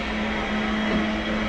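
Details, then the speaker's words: AAON water source heat pump after tightening leaking union joint: valve cracked open gives loud steady hiss with low hum as water rushes through; normal flow noise, no leak seen afterward. "Crack that one just a little bit, okay? Will do. You'll hear like a loud noise. Yeah. That's just the water rushing through."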